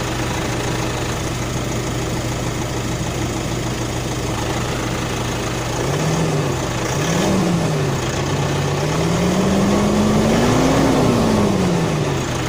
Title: np300 rough idle